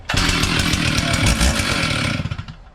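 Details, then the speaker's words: Stihl 044 red-lever chainsaw, first start on the bench after a full rebuild, chain brake on, not yet tuned: sharp high revs held steady, dropping off cleanly with no stutter or misfire; runs smoothly. "Um so yeah, so starts seems to run nicely. I'll take her outside and warm her up properly, get her dialed in."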